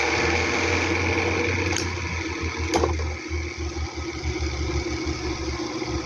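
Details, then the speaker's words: Arno electric fan: steady hum with a fast, uneven mechanical buzz and sharp clicks from motor shaft end play, not a motor fault; fixed by adding electrical tape on the shaft. "Ó o barulho pensando que que é motor, ó. Só eles tem folga."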